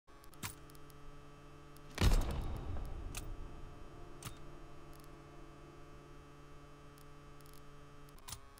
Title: Ground Loop Noise